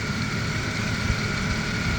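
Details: 1990 Oldsmobile 98 Regency Brougham 3800 V6 (pre-Series II), AC compressor bypassed with a 73.25-inch belt to stop screeching: smooth steady idle, even low rumble, no belt squeal or chirp; normal idle, quiet belt.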